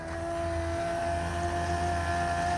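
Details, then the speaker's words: MK1 Ford Transit diesel, new replacement fuel pump plumbed into the factory line on a relay, test-flowing fuel: quiet steady hum, no rattle; high volume, low pressure, far better than the weak old pump. "Really not that loud. You can see I already made a mess. But that's how much it flows."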